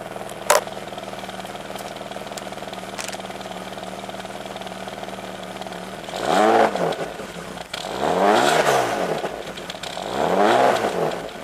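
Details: 1995 BMW 325i E36, unused four years, ignition switch and housing just replaced, not warmed up: hunts and stumbles at idle with uneven revs, tending to stall. Owner suspects a bad idle control valve or intake vacuum leak.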